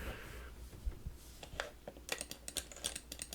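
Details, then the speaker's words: Worn 25-year-old Microsoft Mouse 2.0 button: each press gives a quick cluster of small clicks instead of one clean snap; the new-old-stock replacement gives a single sharp click. Worn, bouncing switch. "like it's making multiple clicks when I press the button there"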